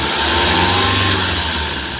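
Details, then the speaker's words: Mahindra XUV500 after replacing the fan belt and the belt adjuster/tensioner pulley to cure belt noise: the engine revs up smoothly and settles back with an even note. No squeal or chirp; running clean. "यह हमारी गाड़ी start है [संगीत] ठीक है इसमें कोई आवाज नहीं है"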